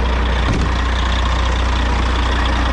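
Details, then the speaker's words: Cabover diesel truck "Betty White" left idling to charge the batteries, air pressure near 120: deep, steady low rumble with an even beat and no knocks or misses, a healthy smooth idle. "i'm just going to let this thing idle for a little bit and uh do its thing charge those batteries up"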